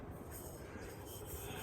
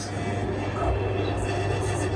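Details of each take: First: Newly installed Westinghouse Turbo 2 ceiling fan on maximum speed, light cover off: low even whoosh and soft steady rumble, no rattle, quiet and healthy; fitting the light cover makes it much noisier. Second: Westinghouse Turbo 2 ceiling fan on maximum speed with the light shade fitted: a continuous low buzz with a rattling edge over the steady fan hum, from the loose shade vibrating; tightening the screws did not cure it.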